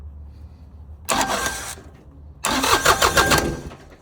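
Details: 2020 New Holland Work Master 25S subcompact tractor with no-start issue, safety switches jumpered and starting via a wire to the exciter wire; two short cranking bursts, the second catching briefly with ragged firing: diesel cranks and starts.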